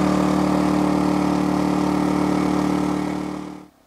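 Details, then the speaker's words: Energizer eZV2000P gas generator near max load, powering an RV camper, a lithium battery-bank charger and a Lion Energy power station charging at about 700 watts: steady, even drone with firm low hum, then smooth wind-down to stop; healthy under heavy load. "So I'm really maxing out that little generator, almost running flat out. So we'll have a listen to the sound and how it handles the max load."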